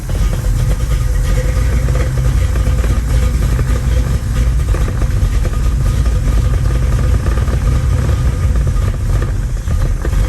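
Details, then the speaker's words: Older GM V8 sports car (Chevrolet) after an oil and filter change: deep, steady cold-start rumble with good oil pressure that only keeps running on a little choke; runs smooth but is thought to need a tune-up. "needs a little bit of choke to stay running"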